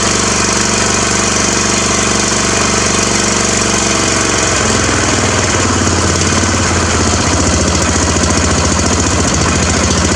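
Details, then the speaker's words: Craftsman mower small engine with its muffler removed: loud, raw, rapping exhaust bark settling into a lower steady beat. "okay just pulled this muffler off the froze up poppy on the craftsman kind of want to hear what it sounds like"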